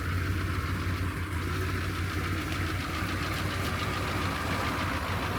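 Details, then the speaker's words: 6.2 Detroit diesel cold-started at about 25 degrees, smoking, on improvised high idle after manual glow plug button work: steady even idle with busy mechanical clatter over a low rumble, no misses; running fine. "You can hear all that mechanical stuff in the engine, dude. I love that. We got it running. She's running pretty good."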